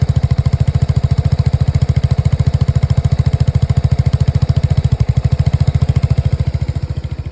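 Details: Lexmoto Nexus 125cc single-cylinder misfiring at a lumpy idle, with heavy low chuffing pulses about 3.5 per second. Diagnostic readings show the fuel-air mixture dropping below 0 and the total misfire count.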